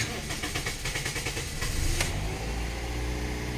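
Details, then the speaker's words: Toyota Vios 1NZ that wouldn't rev and stalled, after throttle body cleaning: engine starts and holds a fast, steady high idle though warm, because the throttle air gap widened. It should drop after a long drive or a scan-tool relearn. "ครับรอบมันจะเร่งนะครับเวลาเราล้างลิ้นเร่งนะครับ"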